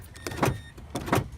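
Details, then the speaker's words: 2012 Mazda CX-9 after window motor replacement, door partly reassembled for testing: two short, even whirring runs, smooth start and stop with no grinding or clunk; window and locks working, repair successful. "all right all right everything's working so yeah that's that's success right there"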